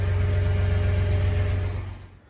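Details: John Deere 8310RT tractor diesel at about 7,697 hours, started during spring maintenance to warm the oil before an oil change: steady low, even rumble with no knocks or misses, then fades; normal, healthy running.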